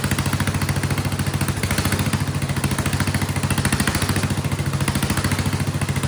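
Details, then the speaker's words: Vintage Kohler generator flathead engine running a shop vac as load, after the spring under the carburetor float was removed. Loud, even single-cylinder thump with surging stopped under load, though slight surging is said to remain. "And then it seems to also, that makes it stop surging, it seems. It is loud though."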